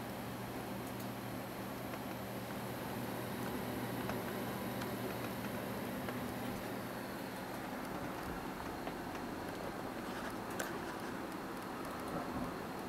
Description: Most of the noise is coming from the stock Rosewill case fan on the side.